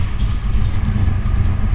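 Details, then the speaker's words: Car with a hydraulic clutch. Low, steady idle rumble, smooth beat, no tapping or stumbles: engine sounds healthy. "motor sounds good sounds real"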